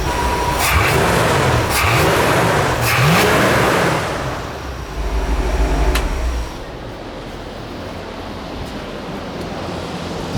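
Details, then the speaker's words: Big-block 460 V8 (swapped in) after idle mixture screws were corrected, about 15 inches vacuum at idle: a couple of revs, then an even, steady idle with no misses or knocks; air-fuel and idle good. "all right everything is good air fuel's good idle's good everything is good"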